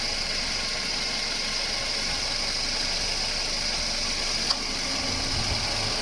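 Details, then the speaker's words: Toyota Wish idling with AC on after a compressor front bearing, compressor oil, belt and system flush: steady even hiss and hum, quiet, no grinding; the compressor was loud before the repair; sound normal. "ตอนนี้ฟังเสียงตอนความทำงานลูกปืนใหม่น้ำมันคอมใหม่ๆดีนะไม่ใช่เสียงเครื่องนี้เครื่องยนต์ไม่มีกำลังคอมชุดนะเนี้ยโอเคเสียงอยู่ในเกณฑ์ปกติ"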